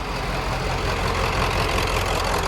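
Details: OBS 7.3 diesel idling after a first-try start with battery terminals cleaned for an intermittent crank: steady, even diesel clatter with no knocks or dropouts; idles as it should, owner suspects battery corrosion caused the crank issue.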